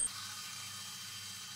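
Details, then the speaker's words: Homemade lathe cutting a mild steel pipe by hand feed: steady raspy high squeak over a low motor hum as the drive belt slips on the spindle shaft, to be fixed with a DIY composite pulley. "but also the belt slips on the shaft. You can hear here the squeaky noise coming from the belt that slips on the shaft."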